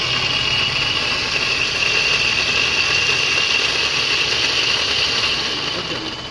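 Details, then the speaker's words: E-rickshaw drive motor running on its own, after the wheels were checked: a loud, harsh mechanical rattle with a fast knock of about four a second, showing the problem is inside the motor. "तो इसका मतलब है जो हमारी problem है वह हमारे motor के अंदर है ठीक है तो मोटर इसका आवाज कर रहा है देखिए इतनी तेज आवाज"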